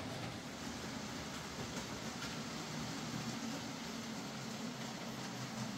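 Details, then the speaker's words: Hornby J15 model locomotive, slow and noisy since new, after a motor replacement: soft, even rumble and light rail clatter with no whine or buzz standing out; now running a lot quieter and smoother. "So there we are, that's Stephen's J15 fitted with a new motor and it's running a lot quieter and smoother."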